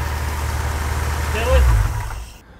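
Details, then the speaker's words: 1979 Chevy Nova LS swap at idle after regrounding the dead bank, one header burning off oil: low, even V8 rumble with steady firing and no miss, fading at shutoff; all eight cylinders now running. "all right I grounded it it's running on eight this is not fake"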